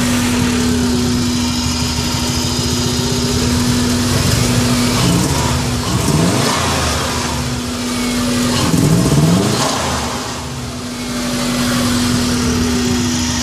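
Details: Subaru Impreza revving up and down under load with an uneven, stumbling exhaust note, a misfire; owner suspects coils or the MAF sensor, unconfirmed.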